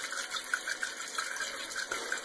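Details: Toilet after fill valve replacement, flushed to test the repair: soft, steady hiss of water refilling the tank with no squeal or chatter; no leaks seen, and the fill valve refills quietly and normally.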